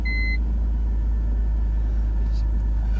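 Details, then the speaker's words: 2001 BMW 330Ci E46 5-speed, an auction car, on first start: a short chime, then a steady, even low rumble with no misses or knocks. Normal idle; the yellow low oil light is on. "I can't believe this thing. It's still a pile, but it runs."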